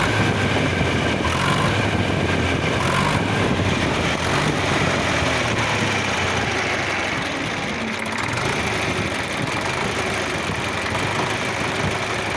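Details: D-65 diesel engine with heavy clatter and a steady knock, about three per second, at constant speed; the knock is linked to the injection pump (TNVD).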